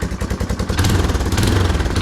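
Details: 1996-1997 Yamaha Timberwolf 250, revived after sitting about 18 years, after adjusting the carburetor idle screw while running: quick, even single-cylinder putter at a steady idle, no longer revving out, no hunting or surging.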